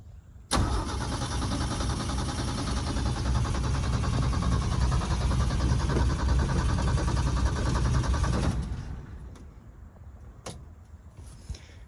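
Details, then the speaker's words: 1971 Ford F-350 crew cab straight six, revived after 20 years, fed from a gas jug: starter cranks briskly about eight seconds but engine never fires; owner suspects it isn't drawing fuel from the jug. "why is it dying it's clearly not getting gas out of this jug"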